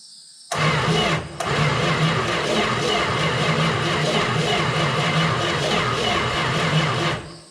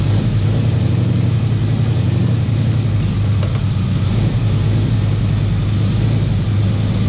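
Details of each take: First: 1971 Plymouth Valiant Scamp parked 16 years, first start attempt with coil hot-wired: long even crank of about seven seconds, no firing; no spark. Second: 1971 Plymouth Valiant Scamp, parked 16 years, idling off its own tank after the fuel hookup: deep, even rumble with a steady beat, no misses, knocks or ticks; running smooth and sounds healthy.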